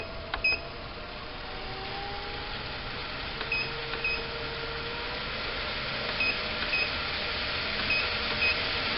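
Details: Homemade 2x72 belt grinder with treadmill-style motor speed control, speed stepped up from 1: quiet motor hum with short high chirps in small clusters; normal controller feedback beeps.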